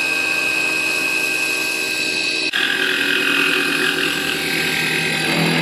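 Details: CNC1310 desktop router, modified with encoders on its stepper motors to prevent step-out, machining steel: a steady, high-pitched spindle whine with an even cutting hiss and no stalls or chatter. It cuts cleanly.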